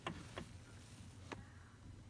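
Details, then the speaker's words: 2003 VW Jetta central locking: quick pair of lock clicks, then another a second later as the locks pop back open automatically; windows, locks, alarm and remote also not working, attributed to a blown fuse. "el seguro se abre en automático esto es porque traigo un fusible tronado"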